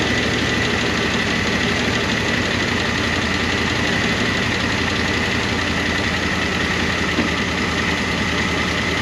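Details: 1988 Monte Carlo SS V8 revived after sitting over 20 years, idling steadily on a temporary fuel tank: a fast, light ticking over the rumble from noisy rocker arms/lifters that had started to quiet but never went fully quiet.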